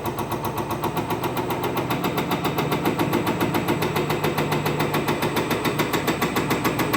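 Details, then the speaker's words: Spare diesel injector on a bench test stand after warm-up flush: fast, sharp rattling pops about three and a half per second with a buzzing undertone, sounding different from the Detroit injector; stand reads fail, bad injector. "It definitely sounds a lot different than when we had the Detroit injector on there. And it'll show right there, guys. Fail, fail, fail."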